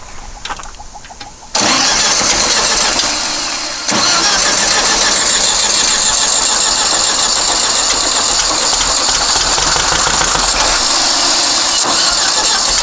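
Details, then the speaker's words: Long-stored dune buggy/sand rail on the truck battery, fuel solenoid and choke powered: cranks and catches, then runs fast and uneven with a lumpy beat over loud clatter; idle and timing not yet set. "wow that was pretty amazing all right well figure out where the idle adjustment screw is try to idle this up a little more"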